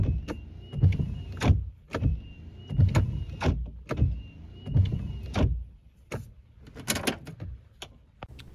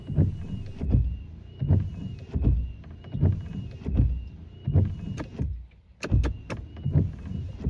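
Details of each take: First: hello in this video I'm going to be reducing or eliminating wiper blade noise even though a wiper blade may be in good condition or even in brand new condition the wipers may still make noise Second: Wipers after Rain-X treatment of the glass: even sweeps about 80 a minute, soft low thumps at each reversal, no squeal or chatter.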